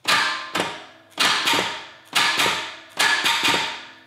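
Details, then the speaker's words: Predator 670 (22 HP V-twin) on a go-kart, throttle set toward idle: four short, sluggish cranking bursts that drag and die, and it never starts; a weak battery or bad jumper cables is suspected, so it is then jumped from a Cadillac battery. "really battery battery doesn't have enough to it or it's these jum uh let's just mooch off the battery and the Cadillac so the other battery didn't work I don't know if it was jumper cables or just a weak battery"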